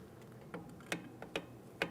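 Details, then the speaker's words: 2003–2008 Toyota Matrix rear drum brake during a wheel bearing and hub replacement: crisp, light, uneven clicks as the star-wheel adjuster is turned with a screwdriver; the adjustment lever ratchet is working normally while the shoes are set for slight drag. "You hear that clicking noise? That's the sound of our adjustment lever doing its job."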